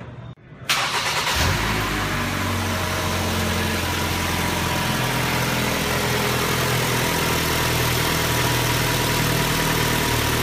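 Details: 2012 Ford Escape 2.5L engine at cold idle: a light, fairly quick tapping knock that sounds like valve train or cylinder head but is a cracked cylinder block; coolant is low, and it gets worse as the engine heats up.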